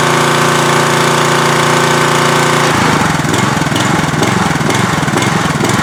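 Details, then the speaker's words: Troy-Bilt pressure washer, Briggs & Stratton engine, after spark plug and carburetor main-jet cleaning: runs hard, then drops to a lumpy idle-down idle that rises and falls a little; mild idle surge, runs reliably. "i really don't like this idle down technology i don't know why it has to do that i i don't i don't see the advantage and it still wants to like surge a little bit but we got it running pretty reliably"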